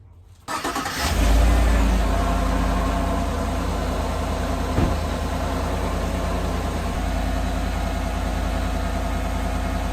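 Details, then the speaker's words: 2018 Chevrolet Silverado 5.3 L V8, engine started for a water pump replacement: fast idle with a rough, gritty, steady grinding undertone; owner suspects bad bearings, cause unconfirmed. "Okay, I'm pretty sure you could hear that noise. It's an unsettling noise. To me, it sounds like it sounds to me like it are some bearings maybe that are bad."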